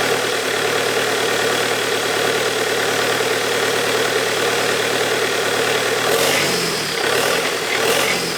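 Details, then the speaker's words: Bobcat T320 track loader Kubota diesel, fire-damaged and being rebuilt, restarting after high pressure pump repair and priming with new fuel filter: steady, even idle clatter with no misses, knocks or hunting; healthy. "let me crank it one more time i just like the way it starts"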